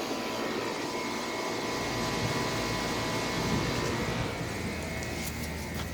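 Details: 2000 Carrier WeatherMaker TECH2000SS air conditioner starting up and running, recorded on a phone. Even, steady fan whoosh over a low compressor hum with no knocking, rattling or squeal; a healthy unit running normally.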